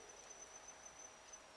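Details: Homemade thermistor-controlled amplifier cooling fan circuit, thermistor cooling after being finger-warmed: thin steady high whistling and tweeting, MOSFET gate hovering at its switching threshold.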